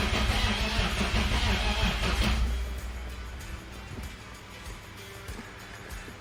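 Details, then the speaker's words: BMW E46 turbo, first crank after a long time with the fuel pump fuse pulled (0 fuel pressure at rail) to build oil pressure: slow, uneven, weak cranking with no oil pressure yet and an almost knocking or exhaust-leak-like noise; owner unsure of the cause. "Oh, no oil pressure yet. Also sounds like a very weak motor. But I don't know. It's been so long since I fired one up, so we'll see. Well, I'm not very confident with the way it cranked over, but let's put the fuel pump fuse in and see what she does."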